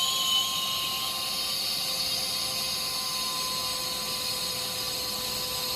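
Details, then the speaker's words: Flooded chiller on first start-up, inlet guide vanes 100% open, suction valve nearly closed, about 37 amps, suction pressure low: high, steady whine with sharp tones over a hiss whose pitch changes markedly with small adjustments; compressor loading hard, cause not yet known. "I haven't even gotten into the middle of that click and I can hear it changing a lot."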